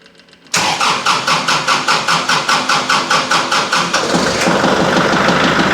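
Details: Kubota MX5200 HST tractor first start after fuel filter and water separator service and air purge with the vent plug closed: even cranking for about three seconds, then it catches cleanly and settles into a steady idle.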